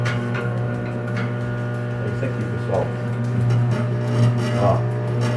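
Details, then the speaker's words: Philco microwave that is noisy and not heating: steady low transformer hum with a scratchy metallic buzz from a loose sheet-metal panel vibrating; tightening the panel stops the noise, while the no-heat fault remains. "Essa lata aqui, ela tá solta. É só apertar ela. Para o barulho."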